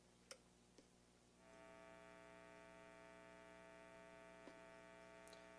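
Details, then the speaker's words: Squier Stratocaster starter-pack guitar fitted with Duncan Designed single-coil pickups, switch position 1, played through Overloud TH3 amp sim with distortion: steady buzzing 60-cycle mains hum with bright overtones, cancelled in humbucking positions 2 or 4. "So that's the first switch. That's the 60 cycle hum I'm talking about with distortion or effects."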